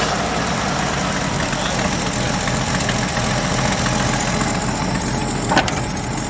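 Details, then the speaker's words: 1977 Ford F350 dually tow truck, long-sitting estate-sale find: starts right up and settles into a steady, even low-rumble idle with no knocks or stumbles; idle is good as long as the throttle is left untouched. "The idle's good, as long as you don't touch the accelerator pedal or the throttle in any way."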